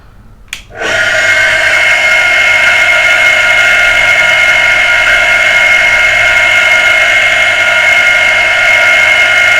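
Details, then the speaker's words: Water pressure pump motor after servicing for a humming, non-starting fault; starts at once with steady, even high hum, no grinding or rattle, running freely; motor now fully fixed, ready to reassemble and refit. "Guy motor हमारी बिल्कुल ठीक हो गई है अब बस इसको मैं पैक करूंगा और उसको मैं लगा दूंगा"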